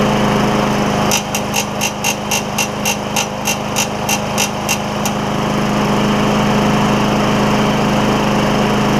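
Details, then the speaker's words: Craftsman mower, Tecumseh Vector engine, first run after a carburetor replacement, air filter off, burning off some oil: steady, even drone with brief light clicking early on. Running normally. "that's awesome that works out great actually um go just got some oil to burn off I'll let it run I'll put the air filter on it let it run for a little bit here"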